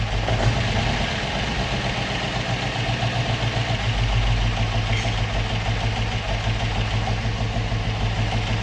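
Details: Opel Manta hatchback with Ascona front end, stored about 20 years, idling on its own after its first start, still on the old plugs: a steady low idle, slightly uneven but with no knocking, running acceptably, a normal idle.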